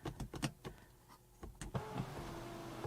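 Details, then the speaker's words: 2010 BMW 535i E61 wagon (auction car) panoramic roof, a known failure point on these cars: about a second of electric motor hum as it tilts up, then it stops dead. It only tilts and is broken. "that's all it does which nope so that's broke"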